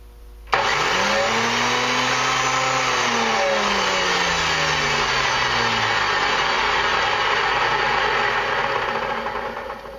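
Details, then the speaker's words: Antique Sunbeam dual-blade electric mower, plugged in, one blade belt missing: motor snaps on into a steady whirring hum with a few wavering tones, holding speed evenly; motor runs normally. "Okay, we got her plugged in. Turn the switch on here and listen to that motor hum."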